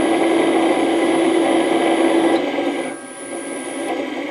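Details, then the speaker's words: Original 1941 Westinghouse 1 HP three-phase lathe motor before its rebuild, spun up on a VFD at 60 Hz and blowing lots of air: a steady hum with a rough rubbing whirr that fades on coast-down. Worn bearings; the inside is full of sawdust. "okay so she runs and Ashley blues a ton of air there is some bearing noise in there that you hear and you hear that bearing noise"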